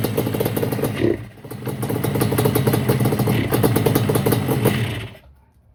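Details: 1989 Yamaha Banshee two-stroke twin after new fuel line, refitted carburetors and fuel switch, temporary exhaust: fires and crackles unevenly a few seconds, then cuts out and dies on throttle; new plugs didn't help.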